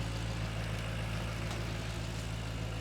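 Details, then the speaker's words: Ford Mustang after front crankshaft seal replacement and reassembly, with the belt reinstalled. Steady, even low idle with smooth firing and no knocks, squeals, belt chirp or leaks; everything is spinning normally. "I think we've got everything put back together correctly. I shine a light in here. Everything's spinning. Belt's working. No weird noises."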